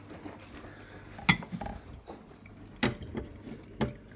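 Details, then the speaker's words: Bosch Serie 6 washer-dryer on spin and drain after a drain-hose blockage of fluff and hay was cleared: irregular splashing, trickling and gurgling as water runs freely through the pump into the sink trap; draining now, though the pump is a bit tired. "You hear the pipe gurgling as it fills up with water. And what you'll see, the pump is a bit tired, but the water has dropped substantially."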